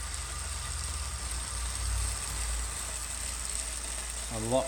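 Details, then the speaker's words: New Wahoo Kickr18 smart trainer under slightly increased effort: low, even hum with faint steady hiss and only a little chain noise over the cassette; quiet and normal. "just a little bit of chain noise over the cassette there and really nothing else so big ticket to the new ticker 18 on the noise front"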